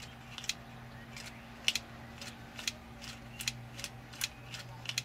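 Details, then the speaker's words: Hobbyking FW190 retractable undercarriage leg stuck up, on the bench driven by a servo tester and ESC. Irregular sharp clicks, about two a second, over a faint hum as the motor tries both directions. Failed micro switch suspected. "knocking so the motor's trying to go backwards and forwards but it's trying to go both ways right so what we think is that maybe one of the micro switches that's in it has um has has failed"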